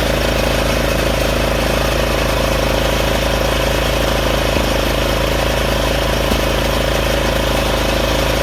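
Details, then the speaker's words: Craftsman 30-inch RER rear-engine rider mower, running after its clogged, non-flowing carburetor was cleaned, with the blades engaged: a small single-cylinder engine holding a steady, even beat with no misses. Normal running. "So it's working. It's not like a regular lawnmower or lawn tractor that you can noticeably hear it go. This one goes."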